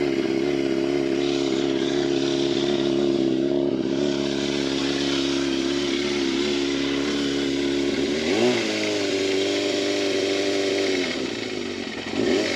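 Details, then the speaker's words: Yamaha FZR 600 four-cylinder, restricted to 47 hp, cold start on choke before de-restriction: steady, even hum with a brief blip of revs near the end; normal cold idle on choke. "Right, first of all, let's get it started up so you can hear it. This is from a cold start. So got the choke on."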